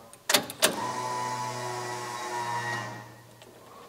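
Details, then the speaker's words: Vehicle being readied for a 1,200-mile drive, fuel pump just reconnected, key on: steady low electric hum with faint whine for about two seconds, building pressure, no fuel leak seen; normal fuel pump priming. "let me hook up the fuel pump again let's see if she primes okay just prime it again"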